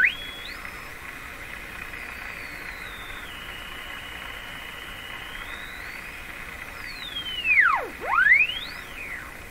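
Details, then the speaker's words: Canadian Westinghouse Model 684 tube radio during AM alignment, SDR antenna pickup coil stuck inside the radio while panning the signal generator: thin theremin-like whistle gliding up and down in pitch, swooping sharply; oscillation whistle caused by the pickup coil. "Okay, so what I was doing was I'm using the antenna, the pickup coil for the SDR, and I'm just sticking it in the radio right here. And that was causing the moaning and the groaning."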